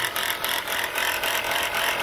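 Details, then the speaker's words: Chrysler Pacifica (2004-08 generation) engine idling: harsh, gritty grinding with a fast ratcheting rattle from a shot alternator bearing, with the pulley bouncing and brown residue around the area. "all right guys from the looks of this and the sound of this [Applause] look like that alternator bearing is shot"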